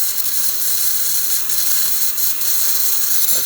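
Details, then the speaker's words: DeLonghi espresso machine after grinder repair: steam wand test, strong even high hiss with faint pump rattle underneath, no sputtering; steamer delivering good, steady pressure. "As you can see, the steamer getting some good pressure."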